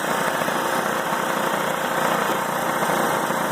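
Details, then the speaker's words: New Harvest Right oil-less vacuum pump on an older knob-style home freeze dryer, first start as the dry cycle begins: even, soft mechanical buzz with a steady fast pulse, no knocking or grinding; much quieter than the older oil pumps. "not bad at all much softer quieter than the gave epochs like some of the three stars or used to come with three to hook up"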